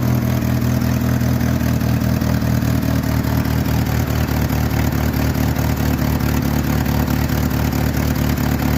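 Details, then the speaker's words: 1986 Jeep Comanche 2.5L 4-speed 4wd at idle: loud raspy puffing with a quick steady tick following engine speed, exhaust escaping before the muffler; owner thinks the exhaust manifold has cracked again. "loud yeah I basically basically lost another exhaust manifold"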